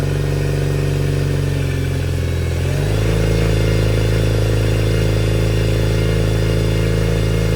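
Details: Yamaha T50TLRD 50HP outboard after head decking and new head gasket: low slightly uneven drone stepping up when revved; missing on one cylinder.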